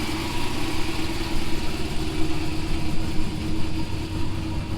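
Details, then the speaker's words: Turbo LS Chevy Avalanche, Sloppy Stage 2 cam, warm start (driven earlier), through stock 2020 6.2 Silverado exhaust: low, steady, muffled V8 idle with slight lumpy chop, even firing; normal idle. "But I wanted to fire it up and let it idle so you guys could hear the sloppy stage 2, because it does have a really good idle."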